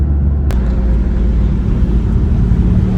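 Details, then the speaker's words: 1982 Porsche 911 SC flat-six, revived after sitting 16 years (gearbox oil drained, seized exhaust freed, ride height raised about 10 mm), deep even low rumble with no knocks, ticks or misses; smooth steady normal running. "So listen to that. There's a smile on your face. SCs are awesome."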